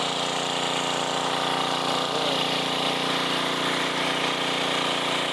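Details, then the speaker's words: 1990s Sears Craftsman 2400 W generator, started after fuel and a splash of gas in the carb, on run with choke: fires right up into a steady, even buzzing drone without misses or surging; normal running. "Fires right up."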